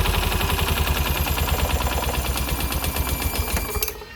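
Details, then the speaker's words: Honda Scoopy FI scooter at idle after the cam chain adjustment was checked: a harsh, rapid knocking rattle persists until shutdown, confirming piston damage. The engine reportedly ran out of oil, and oil was pushing into the air filter box. "Nah masih ada bunyi berarti sudah dipastikan adanya kerusakan di bagian piston ya"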